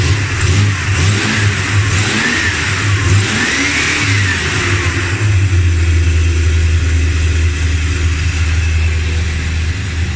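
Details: Dodge Ramcharger engine revved after replacing pushrods, rockers and rocker shaft to cure a top-end tick: climbs and settles smoothly through several blips with an even, clean note, the tick now gone; normal revving.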